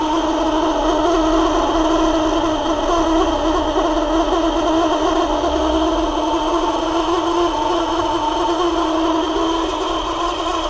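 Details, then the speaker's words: Parlux 2800 hair dryer motor, warm: steady rough buzzing whir, motor stiff and not spinning freely, probably a dry bushing. "tá me parecendo mais gente que esse motor tá meio que pesado para rodar por isso que eu tava fazendo esse barulho tô vendo aqui ó que ele não tá tão livre para rodar né provavelmente embuchamento tá fazendo frente ele tá ressecado"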